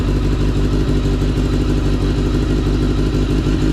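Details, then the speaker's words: Kawasaki ZX10R motorcycle after an engine swap following catastrophic engine failure, with a used replacement engine still cold and the mic outside; a crisp, even, quick idle patter with clean throttle blips shows the engine running normally. "It sounded like precision. Precision. It sounded crisp."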